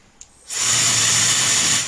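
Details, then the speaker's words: Defective hair dryer with abnormal noise, recorded by a sound probe on a LOTO A02 oscilloscope: silence, then a steady high rushing hiss that jumps straight to full pitch with no gradual 2–3 s spin-up seen in good units. "你注意看它电机上来的那个频率位置，它直接上来就到最高了，没有一个升速变化过程。"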